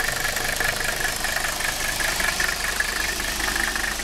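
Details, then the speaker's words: Mercedes 300SD diesel with vegetable-oil system switched off, running on diesel, started cold after sitting for weeks: steady idle of about two and a half even, unbroken clatter beats a second, slight smoke. Normal cold idle. "there she is you can see she turns on just nicely we'll get out you can hear it running there she is"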